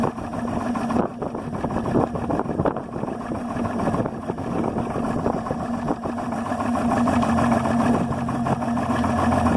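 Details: Yamaha 300 HPDI outboard idling at 400-500 rpm: low, uneven idle whose beat stumbles and surges irregularly instead of running smooth; rough idle, cause unknown.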